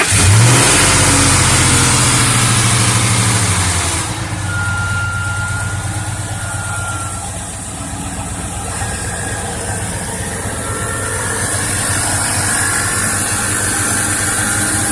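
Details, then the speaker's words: 2000 Lincoln Navigator, remote-started and settling to idle. A thin, repeating high chirp over the engine; owner suspects a bad belt tensioner or pulley, not confirmed. "I've heard sound like this he's got a bad belt tensioner or pulley"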